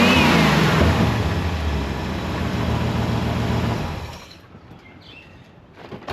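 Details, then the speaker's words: C4 Corvette V8, factory 1984 Crossfire injection swapped for a rebuilt Holley carburetor on an aluminum intake, starting and revving; deep, even burble that pulls cleanly and settles back without missing; runs healthy. "That's American muscle right there."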